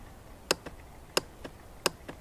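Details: 2006 Honda TRX350 ES Rancher ATV, battery replaced, still won't start: three sharp single clicks with faint after-ticks and no cranking; owner suspects starter relay solenoid or starter motor; knocking the starter didn't help.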